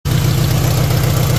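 Deep, uneven pulsing thump at idle, engine loping rather than running smooth; rough running, cause not pinned down. Cause suspected, not confirmed.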